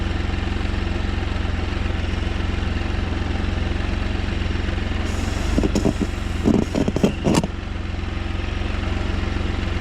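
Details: Can-Am Spyder: a steady low engine idle is broken by about two seconds of harsh rattling clatter. The bike went into limp mode and then wouldn't even limp; the cause is unknown.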